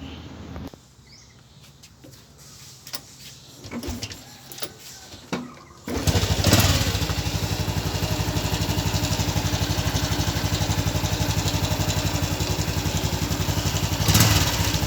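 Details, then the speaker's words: Car with failed fuel pump, after tapping the pump housing several times: engine catches at about six seconds and settles into a steady, even idle; emergency fix works. "ครับตอนนี้เครื่องเราก็ติดแล้วนะครับ"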